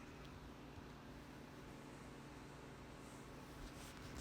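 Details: VOPLLS 4K projector heard from 3 ft away with the display on: a quiet, steady whoosh with a faint low hum and no rattles or surging. The cooling fan runs normally.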